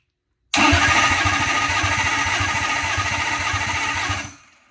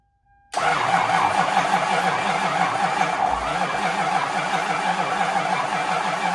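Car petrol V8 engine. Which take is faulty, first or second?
second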